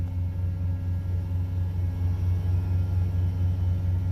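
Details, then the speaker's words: Old shop truck that wasn't getting fuel, first start after cleaning the connectors and reseating the under-hood driver's-side fuel pump relay: deep, steady low rumble with an even pulse, no misses or knocks; engine runs smoothly. "It's actually started and ran."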